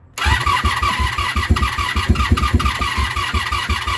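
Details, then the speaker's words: 1987 Honda Super Magna with new battery, new spark plugs, choke on, fuel just turned on: steady fast cranking, about seven or eight even pulses a second, but it never fires. "okay she's not taking yet what was that sound all all right um should have fuel in the carbs by now"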